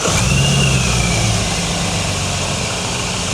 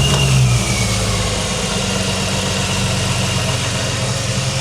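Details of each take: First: Supercharged BMW that lost power and showed an abnormally lean air-fuel ratio: it starts fine but idles unevenly and lumpily with a regular stumble, struggling to idle, as one cylinder is not firing. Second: BMW E46 330i manual touring (supercharged): after cylinder-four coil pack reconnected and properly clipped in, misfire cured; steady, even idle, all cylinders pulling smoothly.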